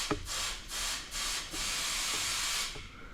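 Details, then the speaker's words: 1969 Pontiac Bonneville Safari wagon, 428 V8, sitting since 1981: old hoses off, air blown through the supply line between fuel pump and scaly tank gives free half-second hissing bursts with no choking or gurgle; supply line clear, return line next. "We are free and clear. All right, let's just check out the return line and then we'll see if both lines are clear."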